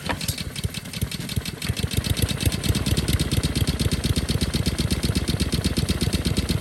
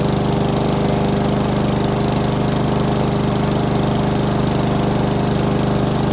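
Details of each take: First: Discarded Honda lawn mower single-cylinder, bottle-fed at full throttle: fast ragged uneven popping, running badly because the choke butterfly isn't closing. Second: Honda lawn mower after the stretched throttle cable was adjusted so the choke works again: steady, even drone at constant speed with no misfires, surging or knocking. The engine is running normally.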